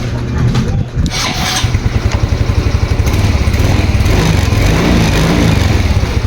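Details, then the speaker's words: Yamaha Mio Soul i 125, new battery, 13.2 V key-on: starter drags engine over in slow, labored pulses about five seconds without firing; voltage drops to 11, sometimes 10–8 V, worst on early-morning first start. "Abangan ng voltage drop magi-start ako 11 normal na mga sir meron kasing minsan may start siya na nababa ng 9 8 minsan aun oh 10"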